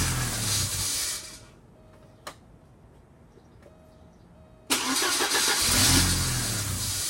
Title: Porsche 944 951 no start after HG replacement